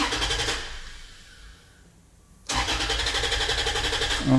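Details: Toyota FJ Cruiser with stored B2784 antenna coil circuit open code after its ACB operator was replaced and removed parts refitted: starter cranks at an even rhythm for seconds without firing, crank no start; immobilizer light no longer blinking, DTC may need clearing.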